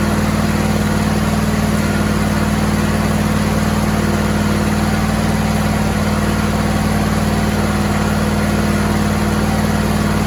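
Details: Homebuilt John Deere/Suzuki hybrid outboard running after leaking bolt holes were plugged; steady, even idle with a smooth low thrum, no ticking or exhaust puffing, much quieter than before.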